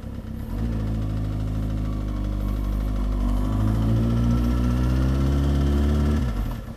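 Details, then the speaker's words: First motorcycle warming up at a steady, slightly raised idle just after its first tune-up (fluids, chain cleaned and lubed); the even note has no ticks or rattles, and the bike already feels smoother and quieter. Normal warm-up idle. "but now i'm letting the bike warm up right now"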